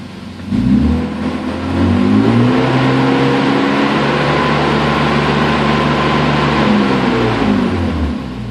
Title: Weird Noise M3